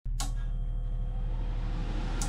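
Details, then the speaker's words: Dometic Cruisair marine air-conditioning unit on a Lagoon 400 catamaran, not cooling: steady fan hum and a relay click, but the seawater pump and compressor never start and the air stays room temperature. "When I power up the unit, I hear the fan starting and I also hear the relay switch clicking. What I did notice though when powering up the unit was that the water pump wasn't powering up."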